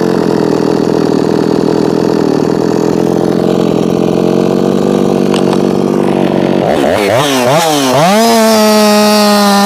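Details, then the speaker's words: Jonsered 2156 chainsaw (same as Husqvarna 357), compression reading high, possibly from assembly lube. Revs around 13,600 at full throttle, then sag to about 11,500–11,600 and wobble instead of climbing; owner suspects a limited coil. "I think maybe this has a limited coil on it didn't gain anything in RPM that time same thing getting down about 115 116 so we'll give it more"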